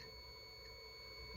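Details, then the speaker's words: Kenmore 70 Series electric dryer not heating, thermostat tested off its wires with a multimeter: one unbroken high continuity beep while leads touch, so the thermostat is good and ruled out. "then you know the component is working properly so we've now eliminated that as a possibility in um in my case"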